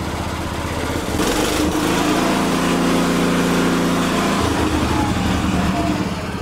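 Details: Cub Cadet 149 with Kohler K-series single, briefly warmed, before valve adjustment (intake clearance found short): revs up and holds high with light rattling chatter growing with rpm; owner suspects top end, worn valve seats; top-end chatter.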